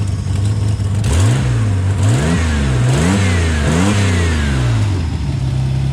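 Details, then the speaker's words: Project car engine with Series 2 (Ecotec) coil packs fitted. Several quick blips rise and fall cleanly from idle and settle back evenly, no misfire or knock; normal revving. "I mean, he runs healthy enough. Great fun in the bush and great fun on the speedway track."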